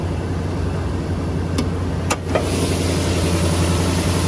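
Engine catches with a brief crank burst, then settles into a smooth, even idle with a steady low rumble; runs fine.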